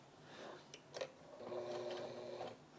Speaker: Oh, there we go, it's working now. But also, it seems to be skipping. It's not catching here.